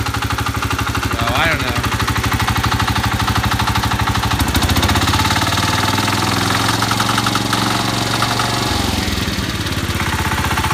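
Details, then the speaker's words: Cub Cadet 149 tractor with rebuilt K-series 12 hp single-cylinder engine, idling: sharp metallic knock on each beat, about three per second, rising with revs; owner suspects the new connecting rod, unconfirmed. "I assume it's the rod making a noise"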